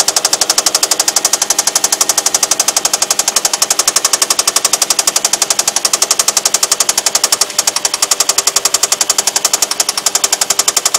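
Sharp, very even metallic knock about four times a second hammering over the engine: a spun rod bearing shell knocking.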